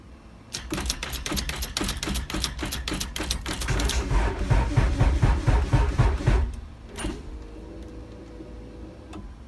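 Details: Acura Integra no-crank: rapid even clicking about four per second with no cranking, then silence; suspected insufficient power, not confirmed.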